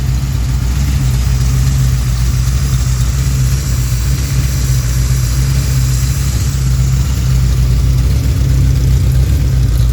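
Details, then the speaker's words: Rebuilt Pontiac 428 V8 for a 1966 GTO: 1966 tri-power (3x2 carbs), #62 D-port heads, DSS forged dished pistons, 9.5:1 compression, pump gas; idle turned down from about 750 rpm (target 650–700); low, steady mild lope, no misses or knocks; healthy, not radical idle. "That's what the idle turned down a little bit. So like I said, it's not a real radical idle. It's got a really nice idle to it."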